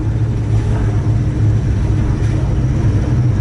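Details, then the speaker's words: Procharged Mustang Mach 1 on a revised base tune, around 2,000–2,500 rpm in first and second gear: deep jittery drone that stumbles rather than pulling cleanly, a low-rpm bog from running rich. "right there it's bogging, right there. Oh man, that sounds, oh man. I feel like I'm breaking my car, like literally."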